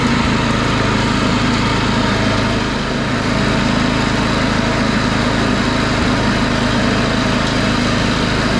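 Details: DR Field and Brush mower with Briggs & Stratton engine, after a new B55/5L580 V-belt: steady even buzz at constant speed, no belt slapping or squealing; running normally.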